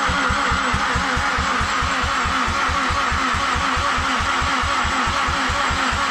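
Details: Mazdaspeed6 with low compression, just after the alternator was refitted and with the port injection disconnected: steady starter chug of about five even pulses a second that never catches or fires. Crank no start; cause still being diagnosed.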